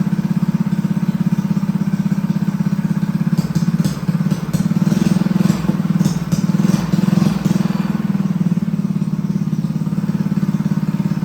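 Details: Honda GX200 clone single-cylinder engine clamped to a table stand, choke on, start after build; putter with uneven, hunting speed and occasional stumbles and pops, running lean; needs rejetting.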